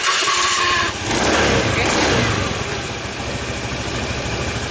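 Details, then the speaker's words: Honda Scoopy scooter after starter repair: a short electric-starter whirr, then the engine catches quickly and settles into a steady idle. Before the repair the starter spun but did not engage the engine. "Syukurlah motornya sudah bisa jalan lagi, dan starternya berfungsi dengan baik."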